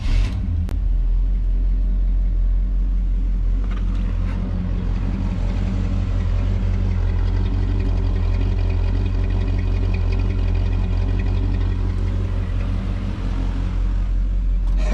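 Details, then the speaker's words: Engine started after fixing a gear with stripped teeth that made it start and die: deep, uneven loping idle that won't settle; owner suspects timing and carburetor, cause unclear, rough idle. "It's idling a little bit funny. I don't know, it just sounds funny. A little bit of timing, a little bit of carb. I don't know, it just don't sound quite right."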